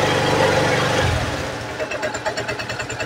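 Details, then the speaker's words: Suzuki Hayate 125 fuel-injected scooter, running after charged battery and throttle blip, had been misfiring and stalling; single cylinder drops from steady hum to a slow, uneven putter about three beats a second; idle speed low; stator corrosion and rectifier output to be checked. "So mababa lang ung kanyang ng Menor ngayon dahil umaandar na siya"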